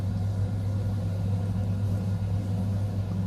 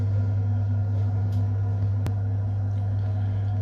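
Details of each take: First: Biasi M90F 24S combi boiler on shower hot-water demand: steady low burner roar with fan hum, then the burner cuts out and does not relight, so the shower water goes cold. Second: Biasi M90F 24S combi boiler with a no-hot-water complaint, running on central heating: steady low hum of the burner staying lit with no cutting out or surging, an even burn; heating side works normally.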